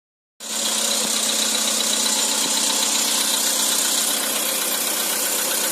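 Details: Cold-start knock on a 2013 Skoda Roomster with CFNA engine: hissy top end with faint, fairly regular ticking underneath while running cold; cause not yet pinned down.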